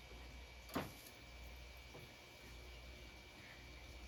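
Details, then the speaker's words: Arcade monitor in a Wizard of Wor cabinet, possibly mismatched newer chassis: one sharp click then faint second click and silence as it tries to power up; suspected high-voltage shutdown, cause unknown. "if I hear it click on for Split Second and then it turns off foreign so does that mean it's going into high voltage shutdown but why"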